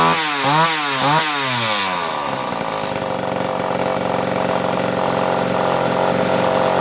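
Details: Homelite Super XL chainsaw after rebuild, final assembly, compression reading satisfactory (new spec roughly 150–160 psi), rings not yet seated: two quick throttle blips then steady high buzzing idle holding evenly; runs cleanly, normal test run.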